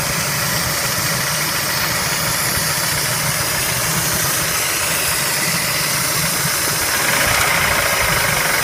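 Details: Spectra engine at idle: an uneven tapping of about three to four knocks a second rides over a steady idle; engine knock, cause not yet determined.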